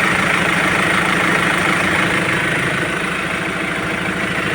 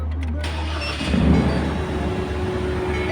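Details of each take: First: Ford Ranger T7 diesel after cleaning the dirty air cooler temperature sensor that caused high idle, A/C compressor cut-out and power loss; even steady low idle with regular clatter, no hunting or surging; A/C now working, normal idle. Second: Ford Ranger T7 diesel on cold start with an air intake temperature sensor high-voltage fault; it settles into a fast steady roar well above normal idle, about 2500 rpm, with A/C compressor cut.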